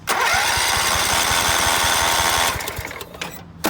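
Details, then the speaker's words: Scotts by John Deere riding mower, 16 hp Kohler Command, new battery, ether used, fuel smelled: even starter cranking about four beats a second that never catches; crank no start, no spark, coil wiring suspected grounding out. "so either something's grounding out the coil not allowing it to spark cuz we smell fuel I smell fuel why"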